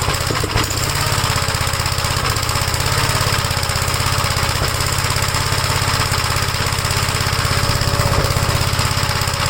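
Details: 1956 Gravely L single-cylinder tractor, started cold on the first pull with choke on and fuel fully open. Uneven, lumpy thumping near 200 beats a minute, never settling; runs rough, cause unknown after earlier vacuum-leak check.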